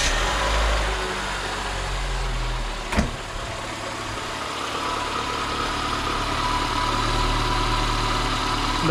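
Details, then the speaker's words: Lada Niva 21214 after tightening the loose alternator belt by a couple of millimetres (it squealed sometimes, especially in cold weather): steady even idle with no belt squeal or chirp; belts running fine. "можете видеть, что наш генератор, э-э, ремень гидроусилителя руля работают отлично и не скрипят."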